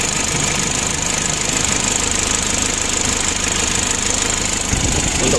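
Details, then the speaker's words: Mitsubishi L300 diesel, about 2011, engine not yet hot: rough idle with loud clatter about 2.5 beats a second and heavy hissing chuff; worn engine blow-by, owner to be told, still usable for now. "mesinnya sudah mulai ngobos jadi nanti kita laporan sama pemiliknya"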